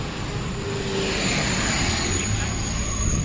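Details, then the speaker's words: Toyota Rush after repair of cylinder 2 misfire (no spark despite new coil and plug): petrol engine idles smoothly and very stably, no stumble or misfire. "Tapos yung menor niya napaka-stable."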